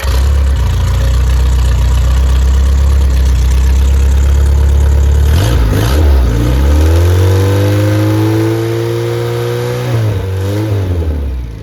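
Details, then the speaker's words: Freshly rebuilt Triumph Spitfire/MG Midget 1500 performance engine, rechecked after fire damage with new valve springs; oil pressure 60–65 psi, temperature holding: firm even idle, smooth rev and return, no knocks or misses, electric fuel pump audible. "Let Jim hear it run and then we'll close out the video. Of course, that noise is the electric fuel pump."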